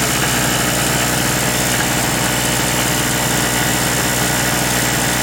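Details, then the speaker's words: King Canada 950W 2 hp two-stroke generator after carb work, air filter box refitted, small load: even, steady buzz with constant speed, no surging or sputter; very quiet at 57 dB, normal running. "we had a bit of an idle over that air filter box and everything put on there it's very very quiet 57 decibels so that's a small it's quiet looks pretty good"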